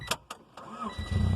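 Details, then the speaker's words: 1994 Honda Civic with 93,000 original miles, started on a charged battery with a jump: clicks, a short crank, then it catches into a loud, throaty rumble, needing a muffler; engine starting normally. "there she is that's all it took it just needed that little extra oomph and you could probably hear that the girl needs a muffler"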